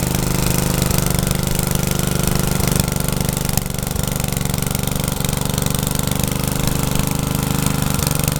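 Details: Troy-Bilt tiller test drive after engine rebuild, tilling garden: single-cylinder pulls steadily with brief dips as tines bite, then recovers, even firing, no knocking; owner saw heavy smoke under heavy load and wonders about blow-by past rings.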